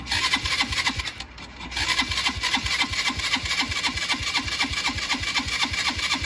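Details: Free four-wheeler (quad) with spark confirmed, solenoid jumped because the start button doesn't work; starter cranks in steady pulses about four a second, pauses, cranks again without catching; hard starting, carburetor needs fixing, cause unconfirmed.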